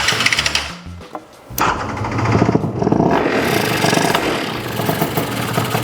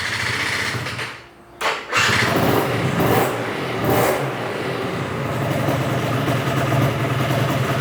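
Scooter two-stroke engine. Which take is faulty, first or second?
second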